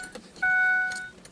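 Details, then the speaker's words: Ford Triton V10 in E-450 RV, after coil pack, spark plug and oil change with fuel rail opened: key cycled to prime, short clean electric whine about half a second as fuel pump kicks on; normal priming, checking for leaks. "Since we opened up the fuel rail, turn it on a couple times. You'll hear that little wine noise"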